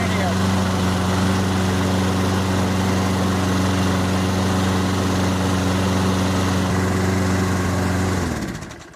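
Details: Toro Recycler 22-inch push mower, Briggs & Stratton 190cc, after an AMSOIL Power Foam carburetor cleaning: steady, even drone at constant speed with no surging or misfire, then a clean shutdown; normal running.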